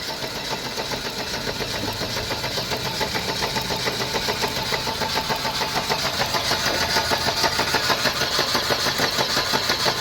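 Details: 1991 Mercedes-Benz 180E (W201), Bosch fuel injection, sat idle over two years: starter churns about three beats a second and engine catches only feebly on starting fluid; crank-no-start from weak spark, plugs found cracked, fouled and corroded.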